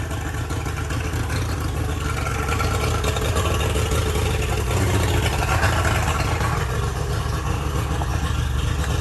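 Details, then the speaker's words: Boat engine, hotwired via starter solenoid terminals, choke used: low, even rumble with no surging or dropouts, RPM gauge no longer dipping as before; idling smoothly after fix, starter solenoid later found bad. "All right, so as you can hear, we got the boat running. We just had to fiddle with it a little bit, but I'll show you guys here. And that RPM gauge is not dipping around like it was before. Dude, this sounds a lot better."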